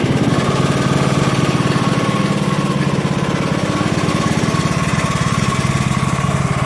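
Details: John Deere LA115 riding mower, 19.5 HP Briggs & Stratton, after drive belt and pulley replacement: single-cylinder chugs at a steady rate with a constant hum, no surging or slipping noises; runs normally, "going like crazy."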